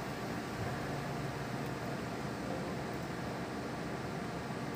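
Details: Desktop computer that had no display and beeping, after the component was reseated and power reconnected: only a steady fan hiss with no beeps or clicks, booting normally, problem solved.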